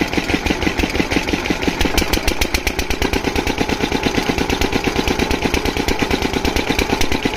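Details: Single-cylinder diesel water-pump engine, after fixing the no-start caused by fuel not reaching the pump, knocks evenly at about three beats a second with no misses or rattles; running perfectly, no problem.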